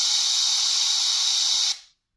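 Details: Microsoft Surface 3: a loud, steady, high-pitched white-noise hiss runs unchanged, then cuts out abruptly. It does not come from audio playback and occurs with no programs open, despite repeated restarts. Source unknown.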